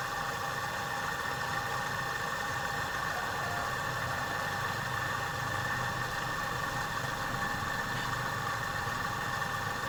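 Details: Refrigerator compressor runs after air recharge, before a leak at an oily spot is found: even, steady mid-pitched hum with no knocking or rattle; compressor running smoothly.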